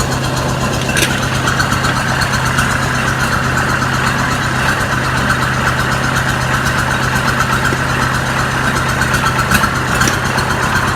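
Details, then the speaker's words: Oliver 550 tractor diesel after a new injector install, on a rigged-up radiator: an even, steady idle with a regular firing beat, no misses, not smoking; engine runs clean. "Look at that. Not missing. Not smoking. Hell yeah. Alright, so this thing runs."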